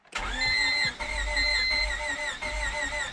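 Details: 1998 Honda Civic sedan project car after distributor install, cranked with the distributor unplugged: steady even cranking with a clean starter whine and no grinding or clicking. The starter turns the engine over normally.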